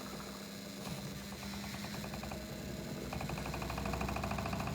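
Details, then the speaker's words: English Electric 2800 rpm spin dryer, new, after the clothes were rebalanced. A quick, regular rattle of roughly three per second grows as the drum spins up; the casing is knocking against a nearby cupboard, not an internal fault. "Rattings because it's very close to the cupboard, so I don't worry about rattling."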